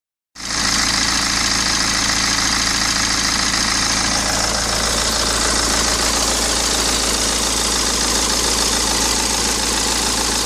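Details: 2010 BMW 1 Series 116d (E87/E81), N47 2.0 16-valve 115 hp diesel, stationary idle: busy metallic clatter over the steady hum, about three beats a second; suspected worn timing chain.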